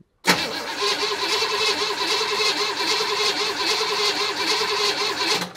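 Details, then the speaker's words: 1965 Chevy Impala V8, start attempt after 20 years sitting, vacuum advance temporarily connected after distributor reinstall: starter cranks steadily about five seconds with even pulses but never catches; crank-no-start, needing brake cleaner to fire. "Looks like the poor thing needs a little help. Let me get a little help for it."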